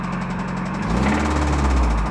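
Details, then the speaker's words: 1994 Toyota Hilux 4x4 pickup, 22RE four-cylinder, mechanic's special; at start-up sounds good at first, then a light quick ticking rides over the low rumble, keeping pace with the engine; source undetermined. "tick tick tick of something the tickety tick tick of something ticking"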